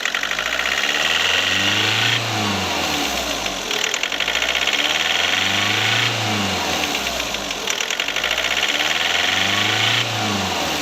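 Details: Skoda Rapid diesel after injector replacement: revs climb and fall on their own about every two seconds in a steady cycle during the automatic injector adaptation, lights and accessories off; normal.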